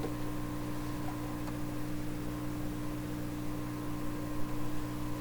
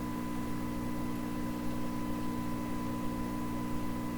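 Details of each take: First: 1928 RCA Victor Model 28V radio, signal generator near 600 into the antenna, volume full: steady low hum with only a faint, thin distorted signal; weak output, fault not yet found. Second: 1928 RCA Victor Model 28V radio with a signal-generator signal fed into the detector grid: a steady, clean tone with no hum, crackle or distortion; audio stages work, and the fault lies in earlier stages.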